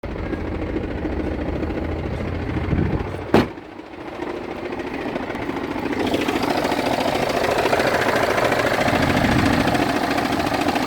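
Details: BMW 320d F30 at idle: a rough grinding, jackhammer-like judder of about three pulses a second. It disappears when revved and returns at idle, is intermittent for weeks at a time, and vibration is felt through the clutch pedal; cause unknown.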